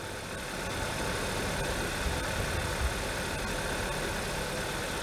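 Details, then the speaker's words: 2013 Hyundai Sonata Theta II engine, first start after in-car rod bearing replacement following a rod knock and P1326 code; rough, uneven idle with loud top-end ticking from the high-pressure fuel pump, no bottom-end knock, roughness easing with throttle. "let's see what it does when I give it a little bit of gas here the roughness kind of went away might have just been because it's been sitting for a couple months so it's not knocking"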